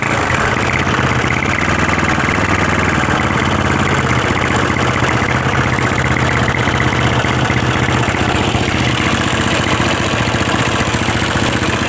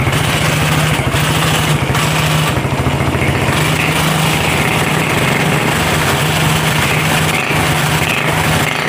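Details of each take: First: Honda CB/GL motorcycle, top-end rough ticking from the left side after valves were recently adjusted: fast steady rattle at idle that gets louder when revved; worn camshaft and rocker arms found. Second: Honda CB/GL motorcycle at idle after worn camshaft and rocker arms were replaced; it previously ticked roughly at the top end, louder on throttle. Now an even, regular idle with no ticking or clatter; the engine runs smooth.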